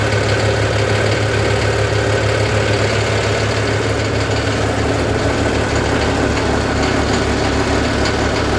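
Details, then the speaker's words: Cold diesel tractor started after manual glow plug preheat on a mid-20s °F morning: loud, slightly uneven idle with a steady low throb, smoothing as it warms. Normal cold-start warm-up. "you all hear the tone difference in person once warms up the first stage gets a lot smoother and then the second stage really spools out and that's usually after about a minute or so"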